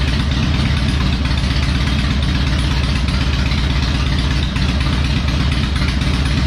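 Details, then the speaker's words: Harley Electra Glide after fixing spark plugs backing out and other repairs: steady loping V-twin idle with even beat, no misses or rattles; running better, normal idle. "so we'll start it back up let's see if she's running good still sounds good i think"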